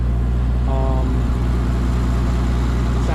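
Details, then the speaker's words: Petrol engine idling steadily and evenly after reassembly following an oil-leak repair; earlier misfire on two cylinders cleared on its own, SRS light still on, now running good. "I was having a misfire issue on two cylinders and I did literally nothing except for pull it out of the garage and then it decided to start working so not 100% sure still have the SRS light on but it's running good"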